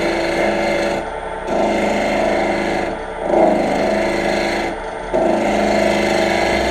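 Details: Wood lathe tool cutting with a deliberately dull edge: a rough rasping scrape in uneven bursts with gaps, no clean hiss of a cut, needing pushing effort. Dull lathe tool.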